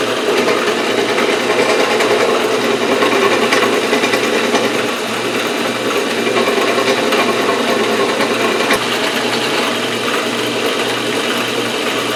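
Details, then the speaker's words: Atlas horizontal milling machine reassembled after two years apart in a shed, with gib adjusted, rewired, belts refitted and oiled. Steady whirring drive with light rhythmic chatter about twice a second, from the loose rattles the owner plans to fix; runs evenly. "working and sounds okay. Excellent. Sounds good."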